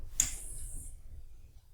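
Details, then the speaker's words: No-name PC power supply rated about 18 A on 12 V, load-tested at 24 A (about 288 W): a sharp click and brief hiss, then only hum as overcurrent protection trips and shuts it off. "une sécurité c'est enclenchée donc celle-ci au moins elle tourne pas quand c'est trop pour elle"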